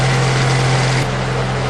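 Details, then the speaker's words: Honda Accord VTEC engine idling right after a timing belt and balancer belt change, test-started with the crank pulley bolt finger tight and covers off: steady, even low-pitched hum with no shake, knock or tick, so balancer belt is correctly installed; normal idle. "And no vibrations, so I got those balancer belt on right too."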